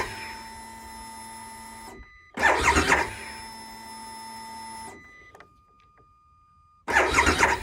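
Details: 2022 Harley-Davidson Pan America at 30°F, battery reading 12 V: two short cranking bursts with steady pump hum between, never catches; cold no-start, dealer first suspected battery, starter gear service bulletin pending.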